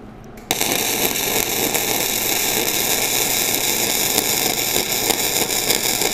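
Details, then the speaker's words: Flux-core welding bead run with a slight weave: even, continuous frying crackle with no pops or stutters, running smoothly. The welder notes the wire speed might be a little fast. "kind of doing a little weave sounds like my wire speed might be a little [Music] little fast but overall it's running pretty darn smooth"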